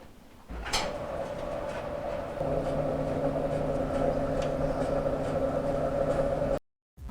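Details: Maytag LDG8426AAE gas dryer after blower wheel repair (complaint was a rumbling noise at startup): motor spins up into a steady, even hum with a smooth tumble, no scraping or thumping; dryer now runs normally.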